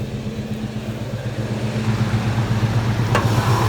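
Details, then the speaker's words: 1987 GMC V15 truck with 40-series Flowmaster exhaust, described as quiet and trouble-free: steady, even low V8 burble at idle with a smooth regular pulse, no knocks or misses; normal idle. "it's fairly quiet again that's a 40 series flowmaster so you know most of y'all probably know what they sound like nothing special"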